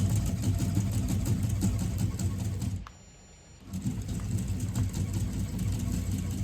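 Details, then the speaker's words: FF6 remote-controlled flapper decoy in speed-setting mode, button B held to slow it down: quick, steady mechanical ticking about three beats a second, briefly stopping then resuming evenly; normal operation at reduced speed. "It will take the command and carry on running constantly, and then you hold down button B to slow it down."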